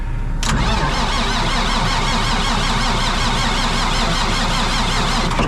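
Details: Old diesel machine ('Niner') on a trailer on a very cold morning, no pan heater fitted: the starter cranks it steadily for about five seconds and it never catches; a cold diesel that won't fire.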